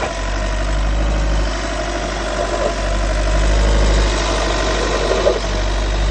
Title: What is this noise VW T6 2016